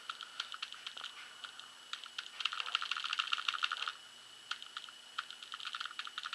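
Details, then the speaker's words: 2011 Proto Matrix Rail paintball marker with the eyes off, set to semi mode: crisp, light solenoid clicks, one per trigger pull and never faster. Normal solenoid clicking in semi-auto mode. "you can hear the solenoid clicking away and if it starts clicking faster than your fingers are moving you're probably on ramping mode if it clicks about the same exactly the same as your your trigger pull then you are definitely on salmon"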